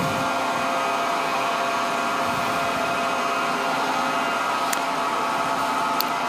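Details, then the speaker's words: SAQ Grimeton 1924 Alexanderson alternator VLF transmitter, main drive motor spinning up rapidly on increased 500 V generator voltage toward about 700 rpm before the speed regulator is engaged; steady even hum with bright level whine, no knocks or grinding; normal run-up. "So you can hear that the motor uh revs up. It's uh rapidly increasing the RPM now and we need to have a RPM of around 700 revolutions per minute"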